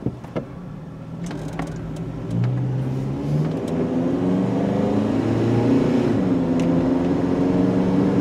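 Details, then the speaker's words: Older Honda CR-V that won't exceed 35 mph, VSA and red brake lights on, driving: breathy compressor-like drone that never climbs freely, choked; excessive exhaust back pressure suspected, lights thought unrelated; loss of power under acceleration. "Because if we have a close listen, this thing sounds like we're driving an air compressor. I don't know if you guys can hear it, but we have what I would consider excessive back pressure."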